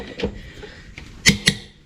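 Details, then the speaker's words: Case IH 75C tractor front wheel lug nuts after co-op tire patch: torque wrench set to 150 ft-lb breaks over with sharp single metallic clicks, two close together near the end, confirming each nut torqued. "so we're going to make sure it at least clicks and torqued to 150 and I'm sure if it does we can go a little further and crank it down a little bit more"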